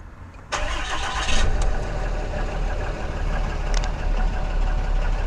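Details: Brief crank after priming, then a 2014 6.7 Cummins diesel catches promptly into a steady, even idle with no stumble or misfire, after fitting a CAT 1R-0750 fuel filter with a new filter housing; about 10–11 PSI fuel pressure.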